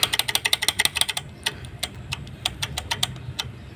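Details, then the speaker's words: Honda Scoopy-i scooter engine, arrived with the oil run dry, at idle: sharp light ticking over a low hum; suspected slack cam chain, as the chain tensioner no longer pushes and the bearing is not broken; a new tensioner is planned. "เครื่องนี้จะเป็นจะมีเสียงดังนะครับยังดังตอนรอบเดินเบานะครับสาเหตุที่ดังก็น่าจะเป็นโซ่หย่อนนะครับ"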